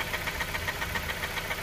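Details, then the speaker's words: 2003 Honda CR-V K20A4, tapping noise since prolonged high revving, before valve adjustment: sharp, even light ticking about seven times a second over a quiet idle; camshaft lobe wear ruled out, valve clearance suspected. "so with that sound um I thought it was camshaft low galling or galling whatever people are saying"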